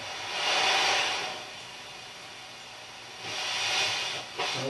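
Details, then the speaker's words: Mackie SR24-4 mixer during pot cleaning with contact spray: two swelling bursts of scratchy hiss as the knob turns, quiet between; the pot is still a little noisy and needs more spray on the wipers. "still a little noisy it's pretty good little noise on that one so I'm going to try this again turn off the power and try and get some more spray in there"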